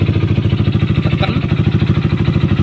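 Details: Honda CBR150/CB150R idling with TDR racing exhaust, sound from right-side clutch area: rapid even pulses with dry rattling chatter each beat, attributed to worn clutch basket damper rubbers, fixed by replacing them.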